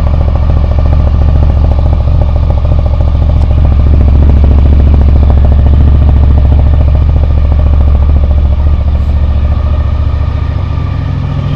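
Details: 2000 Honda VFR 800 fuel-injected, first cold start after six months' storage on old fuel: deep idle with steady uneven lope about three beats a second, one cylinder dead with a cold exhaust pipe; misfire from a loose ignition coil connector.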